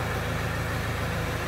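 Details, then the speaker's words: Toyota Hilux after a turbocharger replacement: smooth, even drone with a steady low rumble and no knocks or whistles; the engine runs healthy. "A Hilux da turbina já tá funcionando. Olha o barulho"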